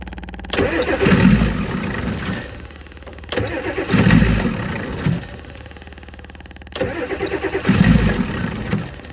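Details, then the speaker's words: 1988 Ford F350 7.3 IDI diesel, sitting since the 1990s, restarting after first revival run: three separate cranking bursts, each catching and dying, before it keeps running; slow, reluctant hard start. "Let's see if she'll fire back up. Can't do it with one hit."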